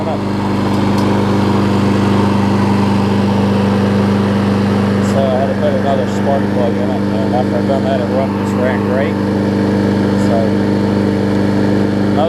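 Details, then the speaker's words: John Deere JS25 mower, engine dated May 2008, after new flywheel key fix and correcting overfilled oil; auto choke, started on first pull: steady even drone, constant low hum, no misses or knocks; running cleanly. "That's the auto choke. It started on the first pull."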